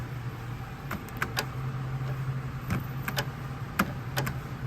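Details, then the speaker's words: Mazdaspeed3: irregular sharp clicks, about eight in five seconds, over a low hum from a water-soaked, corroded control module clicking without driving its assembly, which then won't shut; not fixed. "but they become soaked in water and they become ruined yeah you want to take guess what happens next what happens next is that the module that controls this entire assembly ceases to work"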